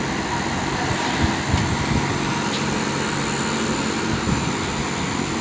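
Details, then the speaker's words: Air-conditioner outdoor condensing unit with a loud, steady fan rush and low compressor hum. This is normal high-speed running, which lasts only a short time until the set temperature is reached, then the unit slows and quiets. "เวลานะครับโดยเฉพาะช่วงเล็กๆเท่านั้นนะครับจะเป็นแค่ช่วงเวลาสั้นๆนะครับไม่นานมากนะครับเมื่อวุ้นหภูมิได้ตามที่ตั้งเอาไว้แล้วเนี่ยเครื่องก็จะรู้รอบลงมาและเสียงก็จะเบาลงนั่นถือว่าเป็นการทำงานปกติของเครื่องนะครับ"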